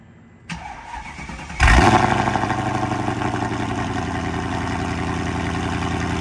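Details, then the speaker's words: 2004 Mercedes E55 AMG supercharged V8, freshly rebuilt after an accident (new rods, pistons, rod bearings, head gaskets, all gaskets). Cold start: short crank, loud flare on catching, revs easing to a steady, even idle without tapping. Supercharger not audible; normal. "We're going to fire it up, and you're not going to hear the supercharger, unfortunately, but you will hear the, you know, basically it waking up everybody in the greater 30 miles of the Las Vegas metropolitan area."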